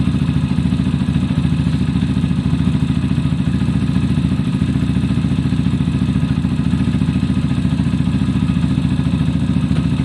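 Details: Zontes motorcycle after fixing a bad idle/cutting-out problem, valves checked at 0.10–0.15 clearance, warming up: steady, even low thump at idle, about three or four beats a second, no misses; healthy idle.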